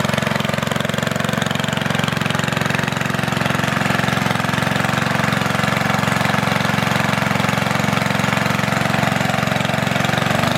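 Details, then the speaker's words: Antique Goodall-Modern edger with 3hp Briggs & Stratton engine, last run mid-1990s, started after fuel turned fully on, many recoil pulls needed; fast even single-cylinder putter at steady idle, no misses or knocks; normal running. "so I got it running guys took quite a few polls"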